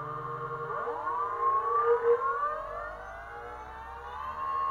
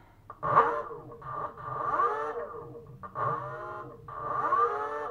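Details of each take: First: BLDC 6384 140kv motor on e-bike controller, hall sensors added: whine rises evenly on spin-up then holds steady; previous roughness gone, smooth startup, about 1.26 amps. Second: BLDC 6384 140kv motor on e-bike controller C1 after learning-wire sync, hall sensors plugged back in: whine sweeps up and down in bursts with an uneven rough note; runs roughly and then found not working, wire sequence suspected.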